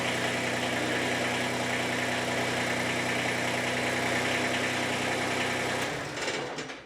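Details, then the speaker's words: Warmed-up Kubota BX25 diesel tractor after replacing the fuel shut-off solenoid, which had caused an extended crank unless the throttle was advanced: now it starts without touching the throttle and settles into a steady, even idle with no hunting or misses, then shuts down. "not a bad fix so uh that's it uh not much to this video but uh and now no longer is a hard starter and no longer has that extended extended extended"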